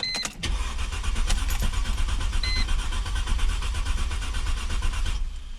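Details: 2002-2007 Mercedes C240 W203 M112.6, after replacing burnt 15 A ignition coil fuse #48 that caused crank-no-start: short crank, catches at once, smooth steady low idle with no misfire or stumble; fixed.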